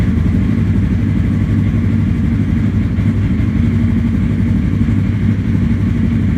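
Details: 2017 Polaris RZR 1000 XP non-turbo after radiator replacement, refilled with antifreeze; started to warm up and check for leaks. Steady, even low throb at idle with no ticks, knocks or surging; running normally.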